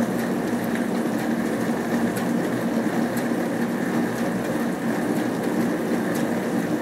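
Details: Hotpoint Aquarius+ FDW70 dishwasher on a test wash after a faulty part was replaced, checking the heater works. Constant low pump hum with even swish of spraying water, no grinding or rattles; washing normally, water hot.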